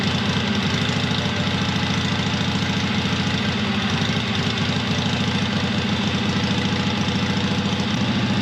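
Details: 1970s Onan twin-cylinder RV generator, long unused, muffler off, after transmission fluid freed a stuck valve: loud, even twin-cylinder beat about three and a half pulses a second, no misses; both cylinders firing, running normally.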